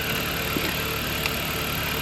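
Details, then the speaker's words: 2019 Dodge Journey idling after new alternator and serpentine belt fitted, battery charging at 14 volts. Steady, even idle hum with no knocks, squeals or belt chirp; engine sounds healthy and settled, normal idle. "Got the vehicle running. Let the battery charge up a little bit."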